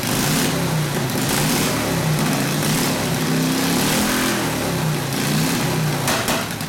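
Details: Harley WL 45ci flathead V-twin, no throttle, hot: slow, lumpy idle with wandering beat, no steady rhythm; rough idle, owner suspects front exhaust pipe rotated down and fell out; plans clamp and valve adjustment.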